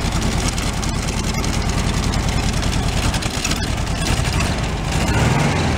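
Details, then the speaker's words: 1978/79 VW Super Beetle fuel-injected air-cooled engine, tired with low compression on one cylinder, smoking: lumpy uneven idle with steady stumble while each cylinder is shorted out; one cylinder dead, suspected number three. "they're kind of short out each cylinder I want to see which one is dropping out give us a better idea which cylinders is running on it"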